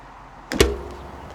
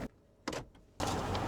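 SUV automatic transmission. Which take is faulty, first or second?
first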